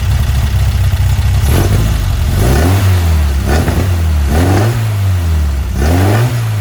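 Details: Weber 44 IDF carburetor on a Herthing, with idle jets just resized: steady low idle broken by four blips; each rev rises slowly and sags before climbing. This is throttle hesitation, judged to be main jets too small, to be sized up.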